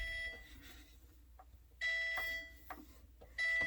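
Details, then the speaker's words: Whirlpool Duet dryer in test mode, owner's clothes still wet on automatic: clean, steady high beeps, three in about four seconds, as fingers or a damp cloth bridge the two sensor bars; moisture sensor responding. "You can also use a damp cloth if you don't want to use your fingers. But when you touch it, you'll hear that noise."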